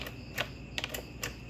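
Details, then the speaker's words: Repaired hazard switch on a 2004 Toyota Corolla Altis (9th generation), pressed after DIY fix before reassembly: light sharp clicks a few tenths of a second apart, switch latching and releasing normally. "Okay, now let's try to press the thing. Oh, I can hear the switch flicking."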